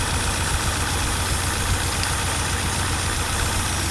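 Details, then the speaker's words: Nissan 180SX Type X (S13) SR20DET with a bad idle: uneven, lumpy misfiring idle; unplugging coil pack 2 changes nothing while unplugging 3 and 4 makes it die down, so cylinder 2 is dead, injectors suspected. "it's two i unplugged coil pack number two nothing happened when i unplugged four and three very noticeable change the engine just like word down like it was dying"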